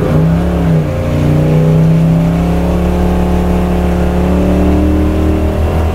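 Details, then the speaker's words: 1978 Chevy C10, 383 crate V8 of about 430–450 hp with self-tuning fuel injection, after trimming the MAP seal that heat expansion had made block the sensor hole: loud, steady V8 roar at wide-open throttle during burnouts with no stumble; runs well. "after a few test drives now the thing actually runs well and what better way to get a self-tuning system to tune wide open throttle then with a few burnouts"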